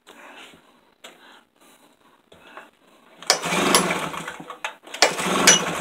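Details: Tailgator engine that ran a couple of times, then sat about three weeks: two rough cranking bursts of a second or so, never catches; cranks but won't start, cause unknown.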